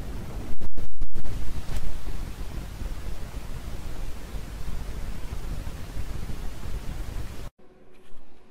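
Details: Pioneer amplifier, left channel hissing: steady rushing hiss with sharp freeze-spray bursts at the start, the noise rising about 5–6 dB after spraying. Traced to a noisy 2SC1344 small-signal transistor, replaced with a 2SC1845.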